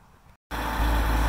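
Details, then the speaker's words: Hyster H80C forklift after fitting a new fuel line and new fuel filter: engine catches within half a second and settles into a steady, even low idle with no misses; fired up with no problems, normal idle. "it's a new fuel line with a new fuel filter as you can see it's running nice she fired up no problems"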